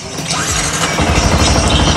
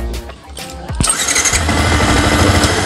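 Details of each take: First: Yamaha R15 after cleaning rust from the starter button contacts (holder not replaced): brief starter whir, engine catches within a second and runs evenly; electric start now works normally. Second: Yamaha R15 (no kick starter) that would not electric-start: with the starter button bypassed at the black socket, brief crank then engine catches and runs steadily, showing the starter button is faulty.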